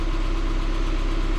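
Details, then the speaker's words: 2006 Subaru Forester after power steering pump O-ring fix, fluid still aerated: steady engine hum with no whine, groan or hitch while turning lock to lock; power steering quiet and smooth. "nice and quiet it's nice and smooth from one side the other no hitching no stuttering no stiffness"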